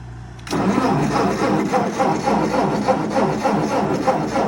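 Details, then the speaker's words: 1958 Ford 871 Powermaster Select-O-Speed tractor after fitting fresh ignition parts: the starter spins the engine evenly at about four beats a second but it never fires, with a gas smell; a crank no-start, apparently from no spark reaching the plugs. "All right, so it's, again, still cranking. All right, so still nothing. So I guess it is now time to properly troubleshoot the ignition system and see where, you know, our gap is."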